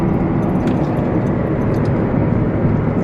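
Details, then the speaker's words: Diesel truck in a truck camper setup, at the time the AC compressor failed and smoked: loud steady roar of air that never eases off from a failing fan clutch, later replaced. "the fan clutch was really loud I didn't think anything of it it was just joining really loud"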